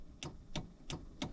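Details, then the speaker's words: Chevrolet Caprice PPV with a newly installed SJM line lock, key on and toggle on: pressing the button gives four crisp, evenly spaced clicks, about three a second, from the solenoid under the hood; normal line lock solenoid operation. "And if I press that, I can hear the solenoid actually clicking under the hood,"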